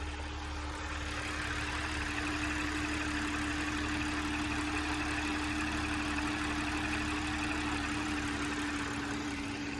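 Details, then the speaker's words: Audi 3.0 L supercharged engine (S4/SQ5) at warm idle a few minutes after an oil change: smooth, even steady hum with no knocks or ticks; rougher sound would indicate a problem; healthy engine, normal warm idle. "if your Audi sounds the same you have a healthy engine if it sounds more rough you have to check it out as a problem"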